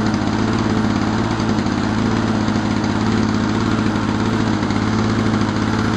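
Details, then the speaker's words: 1987 Lawn Boy mower, model 4262, two-stroke, after carburetor cleaning, new governor spring and fuel bowl fix for low rpm and stalling: steady, even buzz with a quick regular beat and no surging, hunting or dying out, running healthy. "But anyways, it runs really well, probably a lot better than a lot of that junk you buy at friggin' crappy tires or something, you know. It's a good old motor, and let's hear it rock."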